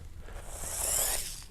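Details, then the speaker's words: Traxxas TRX4M 1/18 crawler: the drivetrain whirs smoothly and coasts freely without grinding, while the other truck stops at once when picked up; free-spinning drivetrain. "you can see I pick it up and it just stops spinning whereas this one it free coasts"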